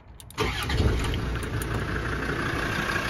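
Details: Land Rover Td5 diesel after repairing a leaking fuel pressure regulator and bleeding the fuel system: short crank, then it catches at once and settles into a steady, even idle with no stumble; healthy start.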